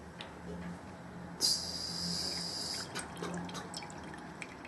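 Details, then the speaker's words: Radiator bleed valve: a short spurt of hiss stops, then water drips out into a cup, showing all air is purged from the radiator before retightening the bleed key. "Right, okay, you can hear that hissing sound has stopped, and now the water's actually coming from the bleed valve, so we know all the air's been purged out."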